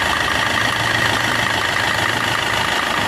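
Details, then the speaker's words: Maruti Suzuki Swift Dzire after water pump replacement, drive belt refit and coolant refill, engine mount not yet fitted: smooth, even idle with a steady hum, no whine, rumble or knock; normal working sound, coolant leak at water pump gone. "ഇപ്പം ഇപ്പോഴത്തെ working sound കറക്റ്റാണ്, normal working sound തന്നെയുള്ളത്."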